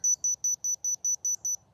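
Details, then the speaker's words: Dovoh DR1 laser level receiver 250 ft from the laser in bright sunlight: eight sharp high-pitched beeps, about four to five per second, then silence, as it catches the laser line cleanly without a problem. "that's 250 ft and it's catching it without a problem"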